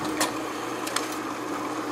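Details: Advent 200 plain paper labeler labeling small-diameter plastic bottles: steady mechanical whir with light clicks as labels feed, running evenly; normal operation.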